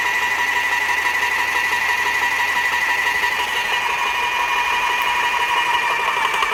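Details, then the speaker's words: Graco airless paint sprayer after the bad packings were replaced, building pressure to check the filter housing leak. Steady high-pitched whine with an even pulse around two per second; the pump builds pressure smoothly and sounds healthy. "So we got the packings changed now, so we're going to see if we can build the pressure and check for that leak we were originally looking for."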